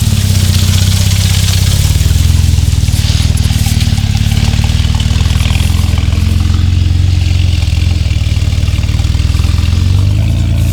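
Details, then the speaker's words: Jeep Wrangler JK Rubicon, manual, 38-inch tires on stock 4.10 gears, climbing hill in 4-high first gear at light throttle: deep labouring drone never climbing in pitch; engine bogging at low rpm under load, gearing too tall. "So you could hear that, guys. It was bogging down, not enough RPM. You would have to use a whole lot more throttle than that."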